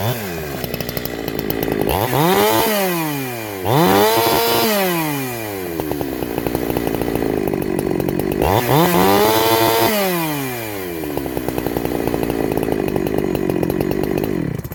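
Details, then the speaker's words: Chainsaw with a big-bore shotgun muffler mod, cutting at high speed: revs rise sharply into each cut and hold a thin screaming pitch under load without burbling; owner says it leaned out after the mod and needs more fuel on the high screw. "Funny enough, I might actually have to add fuel at the high. That's now leaned out."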